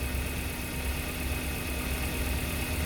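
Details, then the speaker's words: 2018 Suzuki Carry Futura petrol engine after fuel pump replacement: smooth, even idle with steady low rumble, no stumbles or misses; previously limped like a dead spark plug, rpm dropping and rough idle, from weak injector spray. "Hai Biasanya seperti itu ginjal ginjal mesinnya getar-getar ini serat hati kita ganti fulpam mesin aman tidak terjadi masalah seperti biasanya"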